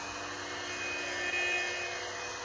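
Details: Old Radio Shack AM radio model 12-467 held near 110 V outlet in off-grid solar cabin: ocean-like static plus steady buzzing drone, fading about 5 ft away; suspected dirty electricity.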